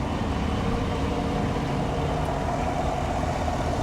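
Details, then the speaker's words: Chevrolet Suburban 5.3L V8 with active fuel management at idle: steady, even, smooth low rumble with no ticking or tapping. Sounds like a healthy motor. Normal idle. "it's a 5'3 and it sounds good I don't hear any ticking I don't hear any tapping"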